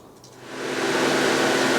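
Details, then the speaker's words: Fiat 500 running 10–15 minutes after service and oil flush, heater not working; radiator cooling fan roars steadily at full speed after switching from low speed; owner suspects a failed thermostat, not confirmed. "lot of noise because the fan is running at full speed as you can hear it was going C low speed and the last 5 minutes it's been going at high speed"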